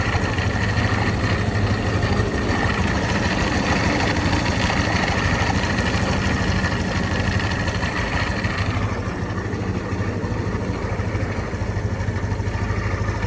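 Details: SYM GY6 125cc scooter idling: steady low beat with faint whirring hum on top, noise disappears when tilting the bike; cause not determined; abnormal engine noise.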